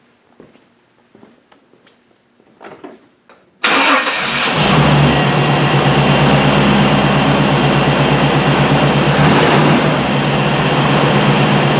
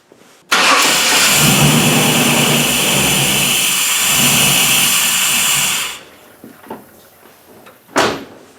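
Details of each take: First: 1998 Chevy truck, previously crank-no-start with spark and 60 psi fuel pressure verified, after cleaning the dirty mass air flow sensor: engine catches at once and settles into a steady, even idle; normal start and idle. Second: 1998 Chevrolet truck with crank-no-start, spark and 60 psi fuel pressure verified, mass airflow sensor unplugged: fires and idles about five seconds, then dies; cleaning the dirty MAF sensor later fixed it.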